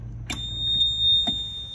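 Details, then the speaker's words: John Deere 26G mini excavator: a high, unbroken warning beep sounds steadily when the key is turned, caused by a blown top-right horn/monitor/radio fuse; replacing the fuse stopped it. "it just beeps and I found a problem it's that top fuse on the right hand side it's a horn monitor B radio it was blown"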